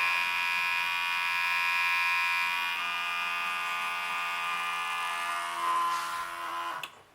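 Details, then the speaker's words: 1964 Pontiac 389, first start after rebuild, fuel pump run with key on before starting: steady high electric whine dropping slightly as float bowls fill, then cutting off; pressure set to 5.5 psi; normal fuel pump priming. "i can hear the bowls filling up i adjusted this to five and a half pounds"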